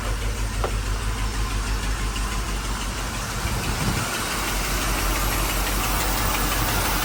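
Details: 1985 Mercedes 500SEC Euro, idling in Drive with the brake set: uneven low knock about three per second from the passenger side. Owner suspects a misfire that appears after warm-up; not exhaust, cause unconfirmed.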